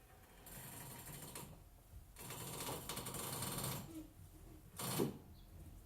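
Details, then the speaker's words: Audi A6 C6 front suspension, wheels off the ground: creaking, groaning bursts each time steering turns; control arms worn out and sway bar links destroyed. "listen to the squeaking / roaming noise from the suspension when I turn ready go"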